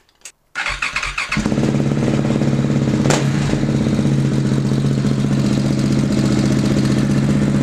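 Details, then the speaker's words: KTM 690 single after fitting and tightening a Rally Raid mechanical cam chain tensioner: starts and settles into a steady thumping idle with a light rapid tick on top; owner guesses the remaining tick is just the valves. "sounds good it doesn't get better I'm really tight on it already yeah okay so I guess that's just the valves then"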